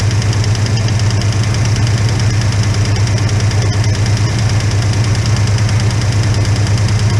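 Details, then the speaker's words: Holden HK engine at idle just after start with no oil reaching the top end yet: sharp, regular tick about three per second keeping time with the engine; a single noisy lifter, noise stops when its pushrod is held. "okay yeah there's definitely with the noise there damn definitely listening hard as it gets so I hold that bush Rod up the noise goes away I put down on the list and the noise goes away"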